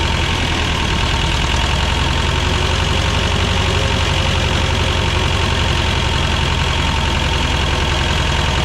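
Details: 1985 Belarus 250AS diesel tractor, revived after sitting 8–10 years: steady even clatter at settled idle, no misses or hunting; normal idle.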